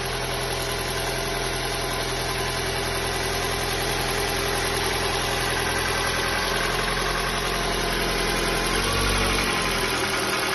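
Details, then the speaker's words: Ford New Fiesta with a Sigma engine at 121,000 km, service reportedly up to date, at cold first start. A steady light knocking tick at idle is believed to be piston slap from excessive piston-to-cylinder clearance. The engine uses no oil and performs normally. "provavelmente a folga dentro do cilindro aonde o pistão trabalha já tá uma folga bem excessiva"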